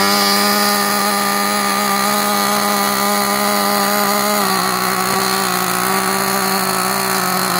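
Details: New Gunner V3 small nitro engine on first start and break-in, glow plug loosened slightly for its high compression: high buzzing two-stroke note holds steady, dips slightly in pitch, runs evenly without stumbling; normal.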